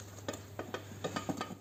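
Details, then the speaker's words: Front shock absorber rod pushed by hand: sharp dry clicks, about eight in two seconds, from rod play, piston hitting the shock body wall inside; explains front suspension knock when links, ball joints and bushings check fine. "Então faz esse barulho da folga da haste. Se a gente perceber a haste movimentando aqui, ó. A gente percebe um pouquinho de movimento aqui, mas o movimento maior é dentro do êmbolo do amortecedor batendo na parede do amortecedor."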